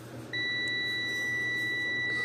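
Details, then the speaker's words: Dell monitor stuck in power save mode, board probed with a multimeter in buzzer mode against ground; a steady high beep sounds on the last IC pin while the other pins stay silent. "সেখানে দেখতে পাচ্ছেন বাজার মোডে beep আছে, এই পয়েন্টটাতে beep চলে যায়।"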